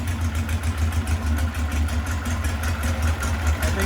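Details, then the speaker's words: VW 1641cc engine with counterbalanced crank, C35 cam, electronic ignition pickup, no MSD, running Weber IDF 40 carburettors, untuned: low lumpy note surging and sagging as if fuel-starved; lean, jets need more fuel, 44s judged a better match. "i think they need a little more gas on the jets um and uh i think the 44 is a little better match for this uh motor"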